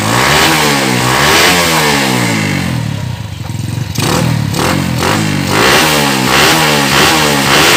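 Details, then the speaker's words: Yamaha Jupiter Z freshly fitted with new cylinder block, no air filter, not revved hard yet: small single revving in gentle crisp, even blips, no knock or rattle; engine sounds healthy. "Tapi ini sepertinya bagus untuk di bunyinya mesinnya juga bagus ya ya kita coba sedikit dikabulnya"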